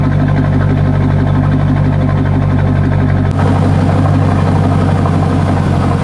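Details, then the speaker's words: C5 Corvette V8 idling on a lift with exhaust cut and open before the mufflers: loud, raw, uneven low bark with steady throbbing pulses and echo, like open headers or broken exhaust; dumping unsilenced. "Probably wouldn't be so echoey maybe, but it sounds just like when people have like open header pretty much, or like their exhaust is broken."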